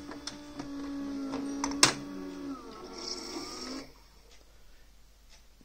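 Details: Philips HD847 coffee machine after cleaning the valve (previously heated and ran the pump but delivered no water); steady pump buzz for a few seconds with a click, then stops as hot water flows and the rinse finishes normally.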